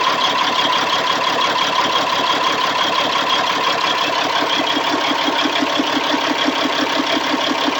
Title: c15 rough idle